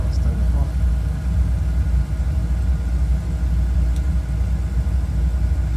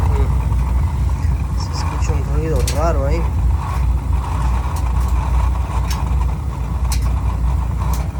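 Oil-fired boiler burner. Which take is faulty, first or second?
second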